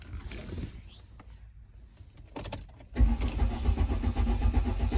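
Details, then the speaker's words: 2008 Mercedes-Benz C300 no-crank/no-start, fuel pump assembly shorted to ground, suspected from contaminated ethanol fuel: with good voltage, steady low electric hum of the fuel pump running normally after handling clatter. "So I got good voltage to it, and I can hear that pump run."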